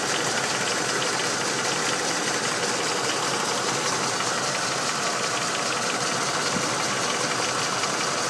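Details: Ford Windsor 5.0 V8 at idle: faint, fast, light tapping over a steady idle; owner asks whether it is engine knock.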